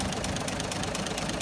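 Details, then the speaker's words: Toyota FJ45, earlier running on 3 cylinders; distributor moved back one tooth, plugs wire-brushed and cleaned: steady, evenly spaced exhaust pulses at idle, no missing beat, running like a clock. Normal idle. "So pulled the plugs, done a little bit of bush mechanic, give them a wire brush, a bit of a clean up, and lo and behold, have a go at this like a new one. Okay? Like a clock."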